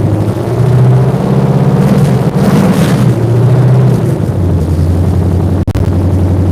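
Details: V8 fresh off a month on the dyno, D-shaped exhaust manifolds, open manifolds with no exhaust system fitted: loud, lumpy rumble with sharp barks, revs up then settles to a steady, even idle; normal start and idle with open exhaust.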